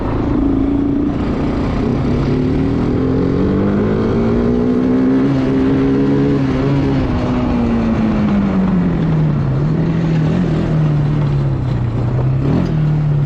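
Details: Bayou 220 ATV, sat for 8 years, on a test ride with a helmet camera; the single-cylinder drone rises and falls smoothly with throttle through the gears, no misses. All gears work, no bogging. Normal running.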